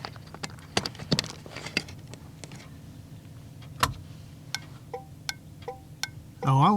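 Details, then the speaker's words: Second HM 552 thermal turn signal flasher replacing the factory 224 on an '81 Chevy, key on, engine off, right turn; crisp even clicks about twice a second: normal turn signal flasher operation. "like that one right hand turn that one is very nice"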